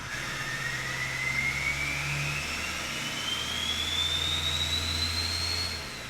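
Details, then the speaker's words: Old Duramax diesel after a complete failure: engine revs smoothly, clean turbo whistle rising and falling, the earlier terrible whine gone; normal rev. "that is all motor baby that's exactly what that wine was"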